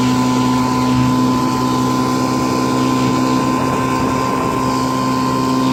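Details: 1955 Johnson CD-12 5.5hp outboard built from mixed parts with eBay Hong Kong coils, first pond run on a boat under load: even steady buzz at constant pitch, no stumbles or rattles; solid, excellent runner, though it can't idle as low as with OMC coils.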